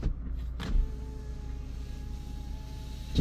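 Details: 2011 Toyota Camry after battery replacement, rear driver's side window: faint steady motor hum for a couple of seconds between two door clunks; this window motor works normally, unlike windows needing reprogramming.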